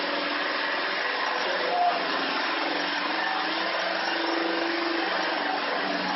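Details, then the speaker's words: Electric vehicle conversion, motor with Netgain industrial controller, transmission in neutral: steady mid-pitched whine persists without driving output shafts; owner suspects motor-to-transmission coupler misalignment; drivetrain whine in neutral. "so we'll give it some we'll turn it and if i still hear the noise then we'll know it's the transmission to the motor"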